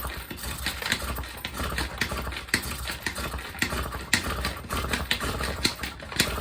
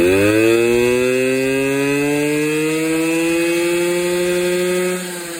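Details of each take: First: Honda Express NC50 50cc on a cold day: repeated cranking chugs about twice a second that never catch; flooded with too much starting fluid. The spark plug is wet, and spark is confirmed. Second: Honda Express NC50 two-stroke moped after carb cleaning, idling with no air filter fitted (hence loud): crisp buzz revs smoothly with throttle and settles back evenly, no longer smoking; normal running.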